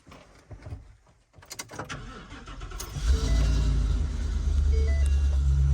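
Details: 2022 Ford E450 motorhome, 7.3 Godzilla V8, first start right after flashing an 87-octane tune (+47hp, +54 lb-ft): brief crank, catches quickly and settles into a smooth, steady idle; clean, healthy start.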